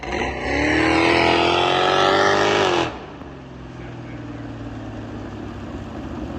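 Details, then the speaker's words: Carbureted engine after flooding and a float level check: a hard rev cuts into a rough, uneven stumble as throttle is applied, suspected too much accelerator-pump squirt through the jets, then it runs well; smaller jets are suspected to be needed. "sounds like it's breaking up a little bit. Well, it's right as I get on the throttle, it gives a little too much squirt through the jets, like the accelerator pump. And as soon as it gets through it, it runs really good."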